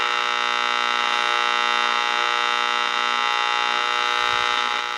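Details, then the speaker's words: Ross RE-1207 radio after recap and repair. A steady, fixed-pitch buzzing hum with no rhythm is mains interference from the nearby soldering station. "that's part of the thing i just turned the soldering station off that's part of it noise"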